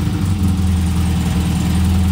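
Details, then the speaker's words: Barn-find Elva Courier Mark III race car just started after sitting: smooth, even low idle with steady throb, no knocks, misses or rattles; healthy normal idle. "tachometer is not working fuel gauge probably not working but runs sounds pretty neat"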